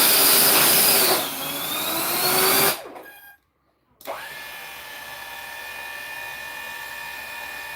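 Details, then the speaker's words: Brand-new motors on a custom 3D-printed 70mm EDF quadcopter: high whine winds down and restarts to a steady pitch; one motor, likely left rear, sounds rough; owner suspects a bad motor or one ordered in the wrong (4S) voltage rating. "These motors are brand new. I think one of them bad. Unless Unless he got 4S on accident."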